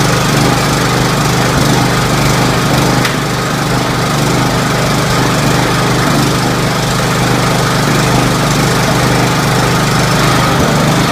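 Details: Scotts 1742 lawn tractor, Briggs & Stratton Intek 17 hp OHV, after head gasket replacement, valve lash adjustment and full service: steady, even single-cylinder drone at constant speed with no knocks, misses or surging. Normal running.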